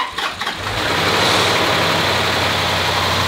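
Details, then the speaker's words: 2011 Land Rover after timing system rebuild, broken bolt removed, flushing oil and full coolant, fifth start: short crank, quick catch, then steady even running with the violent metallic knock gone, only a faint high whir over idle. "果不其然那种剧烈的金属撞击声就此消失不见不过小哥的挑战才刚刚开始"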